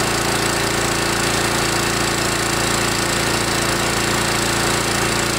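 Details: DR TR1 walk-behind trimmer, Kawasaki FC150V 6.75 hp engine, after cleaning a gummed carburetor with plugged main jet, warmed up: loud, fast, even buzz held at high revs without stumbling or surging; normal running at high revs.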